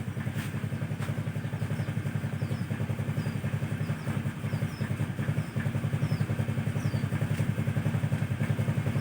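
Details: Carbureted Honda Vario scooter that died suddenly and would not electric-start; steady, even putter about 160 pulses a minute, no misses or stumbles, normal idle.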